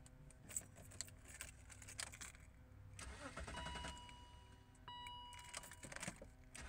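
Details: 2001–2006 BMW X5 E53 just after the ignition starter switch was replaced. Keys jingle and a chime sounds, then a short crank before the engine catches and settles into a steady run. It is a clean, healthy start, and the radio now comes on.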